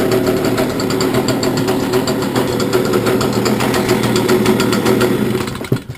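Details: Stihl BG86C handheld two-stroke blower, started cold after three weeks unused, after spark arrestor removal to cure bogging and shutting off: steady high buzz without bogging or surging, then clean shutoff; runs properly now.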